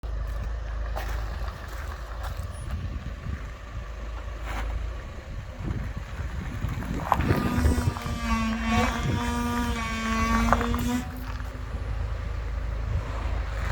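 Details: Range Rover Evoque reversing: a wavering mid-pitched groan holds for a few seconds over a low rumble; source unknown.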